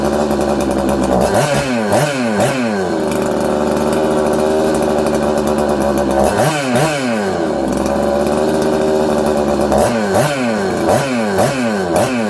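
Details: Newly built 266 chainsaw two-stroke at first start, later found with air leaks: revs swoop up and down in repeated surges, a few every couple of seconds, never settling; erratic idle that is hard to tune.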